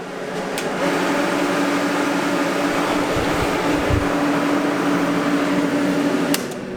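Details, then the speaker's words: Water cooler for a water-cooled welding torch (pumps water through a rear radiator to the torch), louder than the welder itself; steady even whirring hum, constant low tone, no knocks or surges; running normally. "you know what's crazy it's not actually my welder that's this loud it's actually my water cooler"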